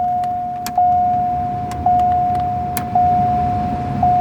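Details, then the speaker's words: Lincoln heater blower fan after replacing the failed blower motor with a new one; steady even hum on low speed with faint tick about once a second; normal blower operation. "So, now we're going to put this on panel. This is low. I can already hear the fan."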